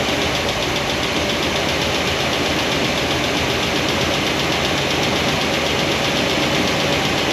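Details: After break-in of a new Comp Cams hydraulic roller cam and lifter combo, valve covers off, before loosening the poly locks: quick, light, constant tick over a steady idle. Lifters aren't quieting; they won't adjust out, and number 7 exhaust stays noisy.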